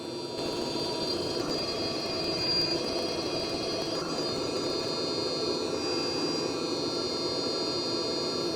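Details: Hcalory 12V 5kW hydronic Chinese diesel water heater on test bench, water warming past 40 °C: steady roar with constant high fan whine and even airy hiss, no surging or popping; burner running normally.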